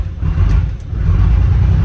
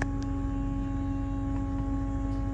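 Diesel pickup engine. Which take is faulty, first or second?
first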